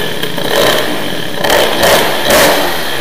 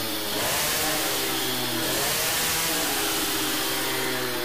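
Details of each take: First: Teknix T6 two-stroke moped with BOOST cylinder head, crisp throttle blips rise and fall cleanly with a sharp crackle; it sounds much better, revving freely and running well. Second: Teknix T6 two-stroke moped fitted with a BOOST cylinder head, high revs with a thick, burbling, muffled exhaust note instead of a crisp scream; carburetion very rich, main jet will be lowered.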